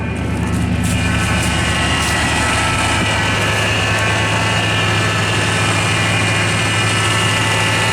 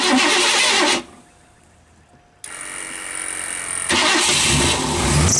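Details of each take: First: 1984 Lincoln Continental sitting six months on over-a-year-old gas, new battery: steady high whine over an even idle without pitch change, first suspected a belt; power steering fluid found low, causing pump whine. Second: 1984 Lincoln Continental that had sat six months, after a new battery is fitted, on well-over-a-year-old gas: a short burst of cranking, then the engine catches and settles into a steady running note, starting fine with heavy exhaust.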